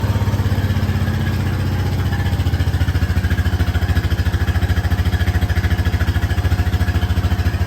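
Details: Honda Rancher ATV cold start at about 30°F after sitting roughly a year, battery recently charged: strong, even low thump settling into a steady idle with no misses or knocks; normal cold idle.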